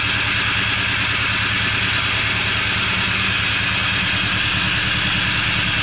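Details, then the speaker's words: Cub Cadet 1X snow blower that sat with fuel from March to December, cranked on electric start. Steady starter whir with uneven pulses and no firing; the fuel smells bad, and the carburetor was cleaned and the fuel changed: crank no-start from stale fuel. "probably gonna have to change the gas in fact I think I'm just going to try to change the gas now it does smell kind of bad yeah don't smell right"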